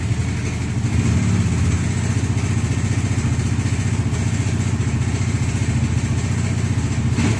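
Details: Bajaj Dominar 400 BS6: steady idle carrying a rapid, even clatter about four beats a second over the exhaust; slack timing chain rattling.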